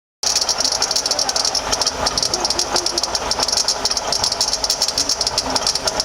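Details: 2007 Toyota RAV4 V6 at light idle: fast sharp metallic rattle and chatter from the front pulley area, with pinkish coolant leaking around the engine block and pulley; bad water pump bearing.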